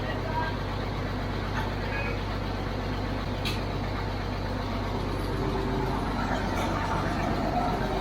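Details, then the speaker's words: 1950s barn-find Caterpillar D6 dozer, not run in years, started with ether and pony motor: old diesel chugging with a steady low rumble, even pulse about four beats a second, no knocks or misses. "Sounds good back there. Yeah. Wow. It's literally been years."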